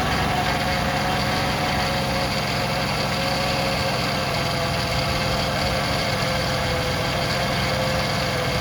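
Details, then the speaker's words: 2006 Ford Freestar 4.2L after new power steering pump install, idling while fluid is added: steady idle with a faint even whine over the engine; normal power steering pump whine. "it's going to whine a little bit when we first start it but then again that's normal for for Ford Fords like to wine"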